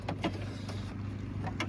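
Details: 1999–2004 Jeep Grand Cherokee front door after new window motor and regulator installed: low steady motor hum as glass moves, no grinding or straining; window working normally.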